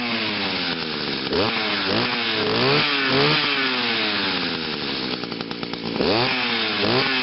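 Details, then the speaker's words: Echo two-stroke on a cold start after sitting about three weeks, first-pull start, no attachments fitted, crisp high-pitched buzz revving freely with pitch climbing smoothly each blip; normal run. "yeah the reason on why I was kind of revving at such a at a bit of a higher RPM is because there's no attachments on it so yeah just to show you all that this engine it still runs really good"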